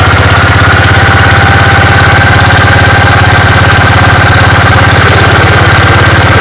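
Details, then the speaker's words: Gravely 5665 single-cylinder engine on a newly fitted China carburetor, replacing a too-large 15hp carb; choke set and mixture screws at one and a half turns, it runs fast, even and unloaded with no misses: normal running. "sweet that ran like a champ obviously I got to put it under some load and see how it does then but that sounded that sounded perfect"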